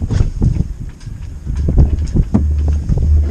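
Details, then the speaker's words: Newly installed Chinese diesel heater in a boat, startup thought to draw about six amps on 15 amp fuse; steady burner rumble as combustion chamber apparently kicks in, light regular dosing pump ticking over wind. Normal diesel heater running. "i don't know you can hear that a lot i think that must be the combustion chamber kicking into life and just open this"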